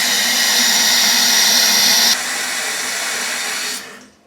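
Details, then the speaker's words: Toilet supply valve, not the toilet, making loud water noise after flushing, started in the last couple of days. Loud steady hiss and rush stops when shut off; commonly an air bubble stuck in the valve vibrating and causing turbulence. "Well, commonly when you get a noisy valve like that, you usually get it's usually a bubble that's kind of stuck in the valve. And as water goes through, the bubble vibrates and there's some turbulence in the water flow through the valve"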